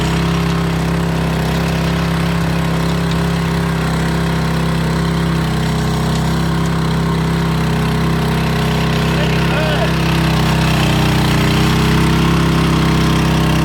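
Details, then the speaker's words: Scotts tiller with the trashed original engine replaced by a DeWalt pressure washer engine, run after the swap: fast, steady single-cylinder buzz with no misses or knocks. Runs healthy; ready to go. "Yeah, she's ready to go. Way too muddy, but man, it's super fast."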